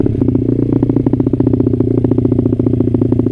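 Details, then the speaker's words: Honda CRF50 idling after a run that broke up at high revs. Steady, even putter with regular firing pulses and no misses; it idles all right. Rider still plans to change the main jet. "Not bad. Not bad at all. It idles all right."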